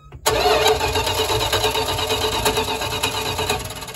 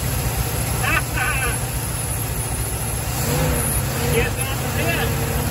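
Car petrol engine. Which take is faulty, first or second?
first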